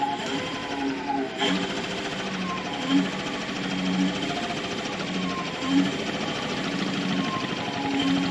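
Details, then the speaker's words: Electric ultralight (ULM) propeller motor run at low power through a servo-tester throttle controller, aircraft not tied down: smooth electric whine, steady pitch with slight wavering, controller whistle at low speed, no grinding; normal running. "Ouais, c'est toujours sympa à voir fonctionner un moteur électrique."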